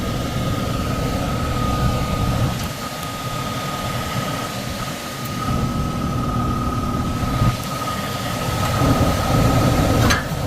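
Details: Likely downstairs furnace unit, call for fan not turning on, heat mode: steady loud hum, thin constant whine, heavy low rumble; blower shaking. Tech suspects overamping and shutting off, bearings sound clear but loud on startup; will check rated amps and capacitor.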